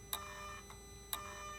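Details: 2008 Mercedes R320 3.0L with intermittent power loss and charge pressure too high codes. Commanding the Y77/1 turbo charge pressure actuator from the scan tool gives two sharp clicks with faint follow-up ticks in a quiet bay; the actuator is sticking.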